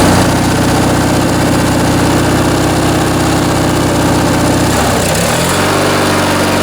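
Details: Briggs & Stratton 19.5 hp opposed twin-cylinder riding-mower (Craftsman) engine on bench test after sitting, carb rebuild and stripped main jet repair: steady, even twin beat settling to a lower, smooth idle near the end; runs cleanly.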